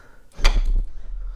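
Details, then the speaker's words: 2007 Porsche Cayman 987 with flood-killed rear control module: rear hatch latch actuator powered directly from a booster pack via blue wire: single solid clunk as the latch releases; normal latch release. "as long as I will catch this blue wire hopefully in this cross we should hear the click"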